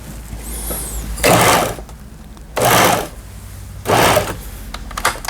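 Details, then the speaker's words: German-made Pfaff Tipmatic 6110 sewing machine after repair of long-unused seized unit, upper and lower thread tension repaired, straight stitch: three short even bursts of smooth steady whirr, no catching or clacking; sewing normally. "박음질이 되는 걸 보실 수가 있습니다. 부드럽게 박음질이 돼서 나오네요."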